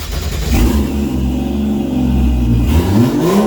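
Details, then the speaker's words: 1JZ six in a Nova, open downpipe, first startup: loud revs climb hard, note cuts off abruptly near the top, then climbs again. Fuel cut limiter around 5500 rpm, cause not yet determined. "uh you might have been able to tell there is like a 5500 RPM limiter there some sort of fuel cut it's pretty common it can be caused by a couple different thing"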